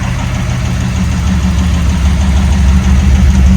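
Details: Rebuilt 1987 Pontiac Firebird Formula 350/383 stroker, 163,000 miles, after mass airflow sensor and timing fixes and rocker lash adjustment: smooth, steady low idle with even beat.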